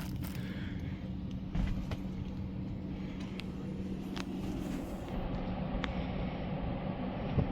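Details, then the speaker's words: HVAC zoned system with HZ432 zone board, both upstairs and downstairs thermostats in test mode so both dampers open: steady smooth airflow hum, far less duct turbulence and static pressure buildup than before. "I don't hear nearly as much turbulence and static pressure buildup in the duct today as I did when I recorded on Saturday when I was here."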